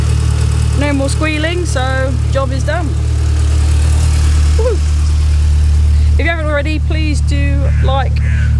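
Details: MINI Cooper S R53 1.6 supercharged after replacing failed idler pulley whose bolt detached from the bearing: steady even idle with smooth low hum, no tinny rattle or squeal from belt area; normal idle.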